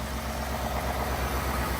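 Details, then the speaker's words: 2018-2020 Ford F-150 5.0L Coyote V8 after spark plug replacement: even, low, steady idle burble with regular pulses, no misses or stumbles; engine runs smoothly. "make sure it sounds good put your hand on it should be nice and smooth everything seems good to go"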